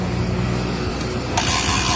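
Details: Honda TMX single-cylinder engine after valve clearance adjustment and valve cover refitted: catches quickly and settles into a steady, even beat with no knocks or rattles; clean, healthy start.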